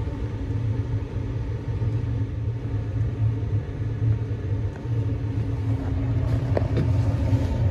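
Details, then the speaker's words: Carrier 90-plus high-efficiency condensing gas furnace, 2006, likely never maintained, no-heat call at six degrees outside, fault code 32: inducer runs loud with steady coarse low rumble like a worn motor, called trash; capacitor weak; noisy inducer motor. "weak tighten this up this thing's trash though it's in bad shape this is 2026 it's not sounds like trash"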